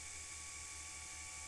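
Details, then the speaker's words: Vintage Singer 99K sewing machine, motor previously overhauled and lubricated, new motor belt fitted, needle not engaged: soft, even hum with faint steady whir and no groaning; normal motor running. "Sounds very happy. I like that sound. I can even turn it around. How about that, guys? I have a revolving machine with a very quiet motor."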